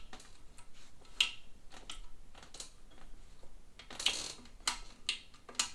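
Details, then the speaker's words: Vintage Singer sewing machine turned slowly by hand after removing visible thread jams: sharp irregular clicks every second or so; something still catching inside the mechanism, cause not yet found. "so we're still getting, I don't know if you guys can hear that clicking. I'm turning, I've gotten the thread jams that I could see. I got them out, but notice we're still getting a clicking here."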